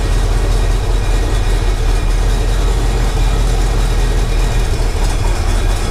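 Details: 1968 Impala fastback at idle after a makeshift exhaust clamp and hanger repair: a deep, loud, steady rumble with an odd underlying drone. Something abnormal is present, but the source of the noise is unidentified.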